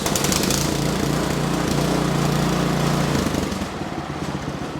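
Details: Ariens Deluxe 28 snow thrower small single-cylinder engine just started on electric start, choke taken off, runs evenly at fast idle then settles lower as it's throttled down; steady, smooth, healthy idle.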